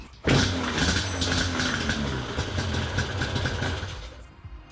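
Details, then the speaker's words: Yamaha Banshee 350 two-stroke with non-stock carburettors, air filters refitted and the thumb-throttle electrical switch removed, previously dying off throttle; fires right up into a fairly steady, crackly idle that holds without dying, better than before. "yeah that's a little [Music] better do combination of things I think I do need to back it up a little bit for the air filters being on there"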